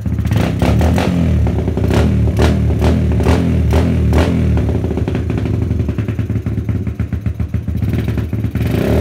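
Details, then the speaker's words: Suzuki GD110 single-cylinder with newly fitted Mikuni PWK 28mm flatslide carb, main jet dropped from 115 to 110 (105 considered), slow jet 38, air screw adjusted: revs blip lumpy and uneven dropping back; mixture still off, owner plans smaller jetting. "try pa natin magliit ng ano, jettings mga chong. Tingnan pa natin. Kasi medyo ano pa rin siya, mixture pa rin."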